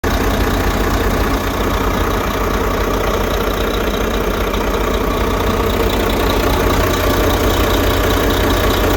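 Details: Truck running at idle after the internally fried engine computer behind its no-start was replaced; a steady, even idle with a smooth low rumble and no misses, knocks or surges, running normally.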